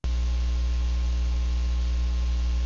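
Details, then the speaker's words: Microphone in a very clean LIGO laser room: steady deep 60-cycle mains hum with faint hiss, the normal quiet background before a forgotten telephone caused transient noise. "is the background it's mostly 60 cycle hump"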